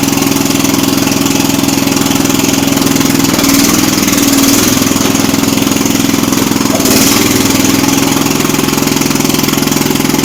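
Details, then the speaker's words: Jacobsen Chief 800 garden tractor under restoration: single-cylinder engine chugging at idle, speed sagging and surging; owner concludes the carb needs adjusting. "But it runs. Okay, so we learned a few things here. The carb needs adjusted."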